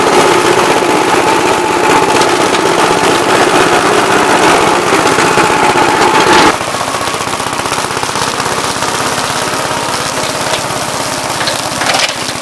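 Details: "Big Blue" 53 L single-cylinder engine after a plate patch on the cylinder: sharp, rapid firing at about four beats a second, steady with no misses, running cleanly.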